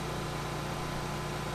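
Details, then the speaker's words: Vintage Briggs and Stratton Pulsa Jet generator, reportedly unused for years, after a full carb rebuild, RPM turned up slightly, powering an AC at about 750 W near 60 Hz: steady even drone, no surging or misses; normal running under load. "And we hit power. Fans on. I think this takes a second to actually turn on the AC. There, it did it. It faded out for a second, but we're pulling 750 watts."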